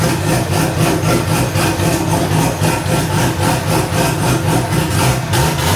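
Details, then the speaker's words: First start of a newly LS-swapped, cammed wide-body C4 Corvette (turbo build, no cat, needs a proper exhaust): deep, uneven V8 idle with a rhythmic chop of about 3–4 per second that is settling smoother. A healthy big-cam idle. "It runs good though. It's got a chop to it for sure."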